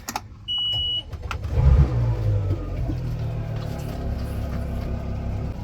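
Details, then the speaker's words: Power steering pump on a 27 Boston Whaler with Mercury engines, after swapping in a replacement part, 97 degrees out: short beep, then the pump starts and settles into a steady, even low hum; now running fine. "look at that now she's running can hear it that humming sound"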